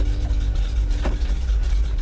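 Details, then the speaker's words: 1956 GMC 370-Series fire truck, not run for unknown years, just revived: deep, slightly loping idle like a mild performance cam, no knocks or misses; engine sounds healthy, normal idle. "He sounds good. This is a truck. Why does he sound like he's got a cam in or something?"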